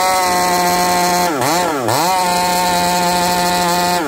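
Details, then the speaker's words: Chainsaw with new bar and home-spun chain, high-speed carb screw at 3/4 to 5/8 turn out: screams at high revs with dips and a burbling, four-stroking top end, still sounding rich and breaking up; owner suspects the coil. "hijet is that three quarters to 5 8 and it still sounds Rich at 5H and still sounds like it's breaking up"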